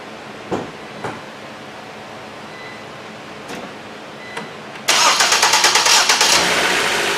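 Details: Ford Transit Connect towed in and suspected out of time: a few clicks, then the engine catches and settles into a quick, even idle; timing checked dead on, starts normally.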